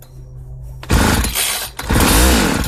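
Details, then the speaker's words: 1995 Ardisam 8900 auger (Earthquake/Eskimo), two-stroke with an empty tank: it barks to life on carb cleaner sprayed in the intake, sags after a second and revs again. Runs briefly on starting spray only, no fuel. "Awesome, this auger wants to live."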